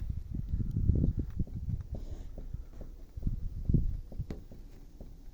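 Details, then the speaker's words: Lada Vesta front suspension check: wheel levered back and forth with a bar under it to imitate road bumps, giving dull irregular low thuds; knock traced to the left front strut rod. "Сейчас посмотрим давай вот он этот звук идёт от стойки от штока сейчас переместимся"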